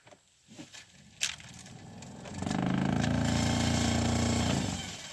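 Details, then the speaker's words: 2012 Chevrolet Sonic cabin blower fan, recorded with the glovebox drawer removed: fan spins up to a loud, rough, pulsing vibration drone, like a bearing going out. "So pretty loud vibration, sounds like a bearing going out or something."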